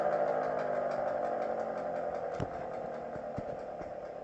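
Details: GS CS-10V15QT siren with bad bearings, full-pitch run: tone slowly falls as rotor coasts down, with uneven ticking about four times a second; worn motor bearings.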